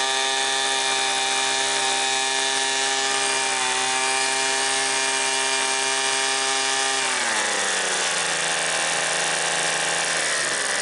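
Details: Homelite 26B Mighty Lite two-stroke blower with a new carburetor, after adjusting the carb screw: a steady high buzz held at wide open throttle, then dropping smoothly as the throttle is backed off. A clean, even run.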